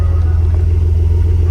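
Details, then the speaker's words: 2000 Nissan Skyline R34 GT non-turbo manual, low kilometres, unknown aftermarket muffler, recorded outside at tailpipe: deep even rumble at idle with no rattles or puffing; normal exhaust note at idle. "Sounds good. Meguar. I'm not sure what that muffler is."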